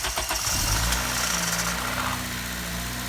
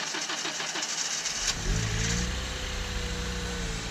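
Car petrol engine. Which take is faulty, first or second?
second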